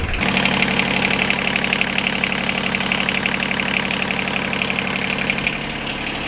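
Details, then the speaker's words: Inboard marine diesel boat engine after head gasket replacement: steady diesel clatter at idle, even beat, no stumbles or odd knocks; normal idle. "now it's running and everything sounds and looks good."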